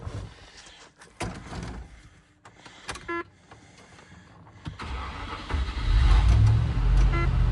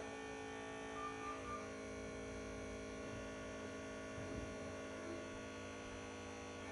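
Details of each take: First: 1996 or 1997 Range Rover P38 HSE V8 barn find, after a rev: idle fails to settle, low rumble swelling and wavering; unstable idle, cause not yet clear. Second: 1996 or 1997 Land Rover Range Rover P38 HSE V8 barn find, first start on fresh battery after long storage: quiet, steady even hum with no misses or knocks; normal smooth idle, purring.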